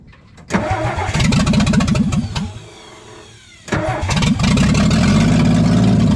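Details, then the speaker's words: 1962 Ford F600 after long storage, first start running on Berryman's with cracked exhaust manifold making it loud: cranks, catches, stumbles, dies briefly, refires into loud uneven lumpy running. "all righty f600 runs running it on barryman's a little bit um here let me show you why it's so loud i was working on this thing the other day and the uh part of the exhaust manifold actually cracked off"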